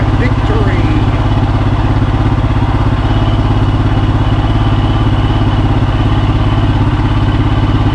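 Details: Royal Enfield Himalayan single idling after stator replacement and battery reconnected: a steady, even thump at constant idle with no misses or knocks; healthy and smooth-running.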